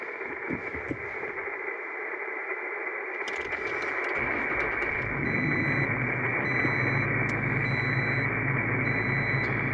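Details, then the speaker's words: Toyota Tacoma with HF whip, radio grounded and mix 31 ferrite choke on wiring: receiver hiss becomes a loud S9-plus roar with faint buzz when the engine runs, gone with truck off; ground on or off makes no difference. "ground's connected again tons of noise turn the truck off and the noise is gone"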